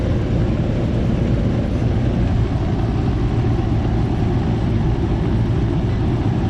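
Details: Goodman AC unit that ran only the fan and didn't cool, after replacing a bad 45/5 MFD capacitor: deep steady compressor hum with fan rush, no buzzing, clicking or stalling; compressor starts and runs normally.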